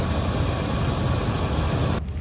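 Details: 2008 Jeep Liberty idling after a fuse was pulled and reinstalled to restore power; owner suspects a damaged pin inside the TIPM. Low, steady idle rumble with an even beat and no ticking or misfire stumble.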